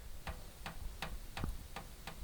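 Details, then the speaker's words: Bathroom exhaust fan running with a light, even ticking about three times a second: loose wire nuts tapping from vibration of an off-balance, dusty fan. Taping the wire nuts prevents it. "that's just the vibration of the Fan's off balance got too much dust on one side whatever you also need to dust them every once in a while and so it'll shake things and you'll hear a little tapping noise like that"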